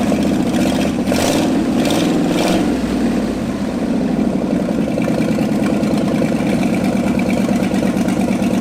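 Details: Abandoned Ford F250, restarted after 26 years, new starter fitted: a few quick revs settle into a rough, uneven idle that keeps going only on choke, suggesting fuel starvation.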